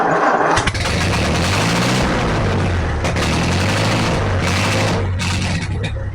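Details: 1944 Ford 2N four-cylinder tractor running with coolant after water passages were flushed, engine now cool to the touch; steady low chug with no knocking or misses; normal running.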